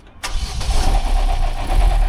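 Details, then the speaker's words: Vauxhall Astra 1.6/1.8 petrol (c. 2007–2014) cold start: engine catches and loud metallic rattle rides over the idle as worn cam phasers (cam gears) fill with oil from poor feed; cam phaser rattle. "And you can tell because when you start them up, they rattle like hell."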